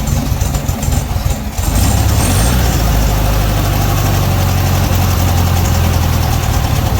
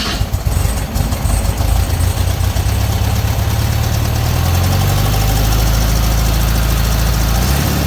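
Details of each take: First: 1968 VW Beetle started during a points tune-up: the engine catches, then runs unevenly with irregular stumbles. A short wire had slid loose. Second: 1968 VW Beetle air-cooled engine after tune-up with points ignition, checking distributor cap and rotor: catches and settles into a deep, even, steady run with no stumbling or misfire; running properly.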